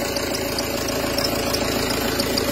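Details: Peugeot Partner 2.0 HDi 90 at diesel idle: light quick regular ticking/squeak from accessory belt area; diagnosed worn, misaligned accessory belt tensioner pulley, to be replaced.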